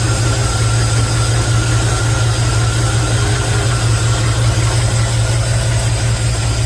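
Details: Chevy after a remote solenoid fix for a starter that wouldn't stop cranking, battery a bit flat: smooth, even low idle with a steady rumble and no stumbles or starter whir after catching; engine running properly.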